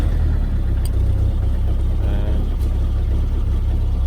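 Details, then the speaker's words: Mahindra Roxor diesel (96.4 miles, 21 hours) just after a cold start with the intake grid heater: a deep, lumpy chug at idle. It idles rough at first and should smooth out after about a minute, which is normal. "can hear it idles very rough initially after about a minute it should smooth out"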